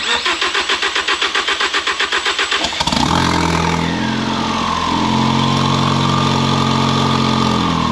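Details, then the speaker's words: Ford Focus ST revived after sitting disassembled, no exhaust, some vacuum hoses unplugged, turbo smoking: starter cranks about three seconds, engine catches cleanly to steady even idle, good oil pressure; normal start and idle. "She runs good. Oil pressure is good. That's awesome."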